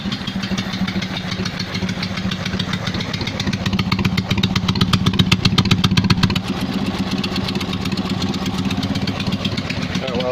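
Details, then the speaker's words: Invacar three-wheeler twin-cylinder engine running on axle stands at steady idle with sharp puffing ticks on each firing pulse; exhaust blowing through the bodged patch again, fix is replacing the exhaust, which was full of mouse nests. "no he just blew again there's only one thing for it I'm gonna have to change the exhaust"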